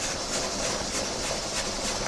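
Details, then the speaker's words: Steam pressure canner processing venison with the rocker weight on the vent after steaming out; weight reads about 16 psi against a 14 psi target. Steady steam hiss pulsing about three times a second as it rocks. Normal pressure canner weight rocking. "put the rocker onto the vent, and now it is has built up pressure, and it's rocking, and you can hear that."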